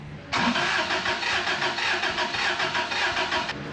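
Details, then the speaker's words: 1990 Isuzu pickup, 220,000 miles, compression test cranking that never catches, uneven beat as one cylinder puffs nothing; readings 112, 0, 116, 126 psi front to rear. Zero in cylinder two, suspected bad valve. "zero. So, here's my spread for PSI. Got 112 in the front, zero in the next one, 116 in the third, and 126 in the rear."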